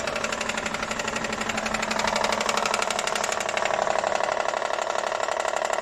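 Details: Honda CR-V at idle: sharp even ticking about four knocks a second over the idle, sounding like engine knock; origin unknown.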